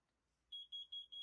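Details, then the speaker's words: Carbon monoxide detector mounted high in a smoke-filled hot tent during a backdraft test: four quick high-pitched beeps, each about a tenth of a second, in a quiet space; the top CO alarm sounding. "oh one of them's going off which one let's see if i can hear it from this side i think it's the one at the top"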